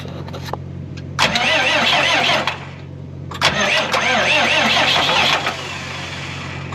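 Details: Cummins 5.9 12-valve diesel pusher motorhome listed no-start, cranked on two deep-cycle golf cart batteries with generator running: two long brisk cranking bursts at an even fast rate, then it catches; normal cranking and start.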